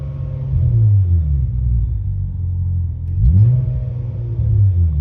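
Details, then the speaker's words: Hyundai Tiburon N/A build with new port-matched upper and lower intake manifolds and a freshly installed tuned ECU, on a test drive. A throttle blip brings revs down better than before, but they ease down slowly with a slight hang still. "Way better than before. It's coming right back down. Pretty much slight elevated throttle. Slight. Looks like it's hanging a little bit still."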